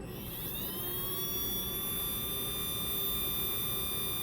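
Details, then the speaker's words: Small brushed motor held upright during break-in, run after two drops of Voodoo oil: a high whine climbs, then holds a clean, steady pitch with no roughness. Normal smooth running. "this sounds so beautiful let's go let's work it just two drops go ahead Mur open up nice that's it that's the sound nice smooth"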